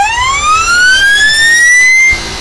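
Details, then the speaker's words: Electric motor on a beta-test speed controller, compared against a Kelly controller: holding the throttle open does nothing, but on release a loud whine sweeps upward for about two seconds and the motor fires up and keeps racing; runaway after throttle release. "Keeping the throttle open does nothing, but when I let it off, you hear the whine and then it just fires right up."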